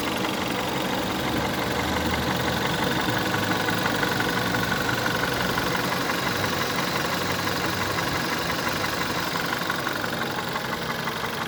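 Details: 2009 VW 1.4 TSI (CAVD) at idle and low revs: fairly regular, sharp metallic clicking knock around three per second; the fault is not pinned down.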